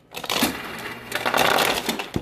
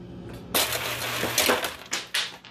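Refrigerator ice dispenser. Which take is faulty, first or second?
first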